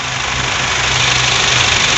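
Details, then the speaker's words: 2019 Honda Brio with a complaint of AC not cooling, running after the AC fuse was replaced: steady idle hum under an even airy hiss with no knocks, squeal or cycling. Compressor engaged and running normally. "nah jadi yang bawa itu kompresor Iya muter ya sama servisnya dan untuknya juga normal"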